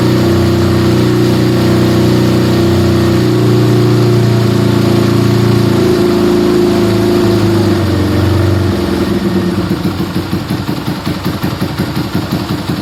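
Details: Yamaha Scorpio single-cylinder after tune-up (valve adjustment, carburetor cleaning, new intake manifold, oil change): steady even idle, smooth low thump, no tapping or misses, smoother after valve adjustment, air screw about 1.5 turns; normal idle.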